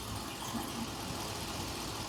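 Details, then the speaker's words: 2020 Ford F53 motorhome chassis, 7.3 V8, idling: engine shaking with uneven stumbling beat, check engine light on, codes P0304 and P0308 cylinder misfire. "l diagnóstico verdad eh el motor tiene un m fire ahita lo voy a encender la razón que está y elente se queja porque tiene un m fire pueden ver está temblando no exageradamente pero sí está temblando verdad"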